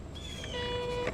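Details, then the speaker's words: Crosley Stack-O-Matic record player, changer cycle after overarm lowered: thin steady squeak ending in a click, tone arm rubbing; probably lack of lubrication, otherwise working. "all right I'm hearing a little squeak there so we got to see what's rubbing and fix that probably probably lack of lubrication but other than that it seems to be working all right"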